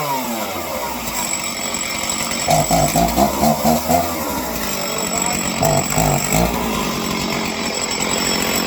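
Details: Stihl chainsaw, started with choke then unchoked, being carb-tuned because it would not idle on the low end; it now settles into a steady idle and takes short crisp revs that drop back cleanly without stalling.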